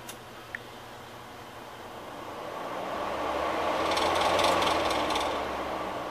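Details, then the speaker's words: ARGE MAX50C 50 cm 160 W pedestal fan after capacitor replacement: steady rushing airflow swelling and holding firm without rattles or hum dropouts; fan starts briskly and runs at full power. "troquei o capacitou e como vocês estão vendo aí e tem uma potência maravilhosa e como vou mostrar de novo pra vocês"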